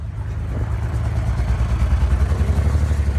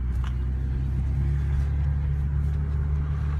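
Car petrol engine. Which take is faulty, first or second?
first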